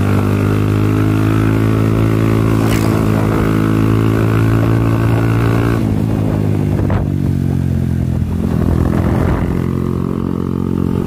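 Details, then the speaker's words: Second-generation Honda Supra Fit X that stalls after throttle release and restarts on the second kick: a steady drone that sags and falters after about six seconds with no power, then the engine dies. "Oh, nah udah mulai terasa nih. Motornya berat, nggak ada tenaganya. Nah, motornya mati, teman-teman."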